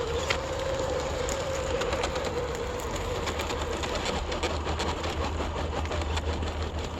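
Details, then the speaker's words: RC4WD TF2 Marlin RC truck towing a trailer up the hardest route: steady motor whine under fast uneven clicking chatter as it strains uphill, slipper clutch slipping and unable to climb. "Well, that kind of answers that question. You can hear that slipper just sounding gross. No, doesn't want to do it."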